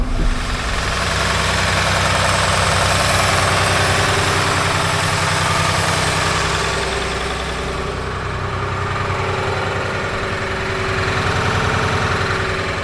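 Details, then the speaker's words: John Deere 850J dozer 9.0L diesel just reinstalled after an engine rebuild, idling: steady idle with a light regular tick about three or four times a second, getting worse; engine ticking at idle, cause not yet found. "this um Dozer has a slight tick to it and it seems to be getting a little bit worse"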